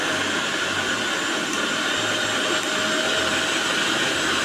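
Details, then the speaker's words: Usha mixer grinder, fully reassembled after motor bush replacement: smooth, even high whir with steady pitch and no knocking or rattle; runs clean with no noise. "So மிக்ஸியோட sound கேட்டிருப்பீங்க. எந்த ஒரு நாய்ஸும் இல்லாமல் சூப்பராக run ஆகுது. Push மாற்றினதுக்கு அப்புறமா பக்கவாக கிளியராக run ஆகுது."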